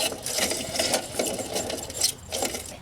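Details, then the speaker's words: Jeep Wrangler YJ, alternator turned by hand during belt-drive check: irregular tinny clacking and rattling from the worn alternator bearing; alternator failed, replaced along with idler pulley. "Oh alternator and you got this bearing going up they add those together and that's bad but definitely the alternators toast you can hear it clacking"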